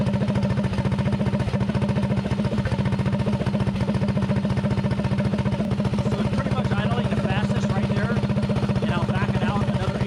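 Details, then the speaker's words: Predator 224 mini bike with a 24mm PWK carburetor and changed jetting: idle turned down slow and the air screw backed out until the idle picks up. Steady, even single-cylinder putter at about four beats a second, no misses; normal idle. "now I turn the idle down as slow as I can get it soing nice and slow and I back the air screw out till the idle picks up so you can hear it picking"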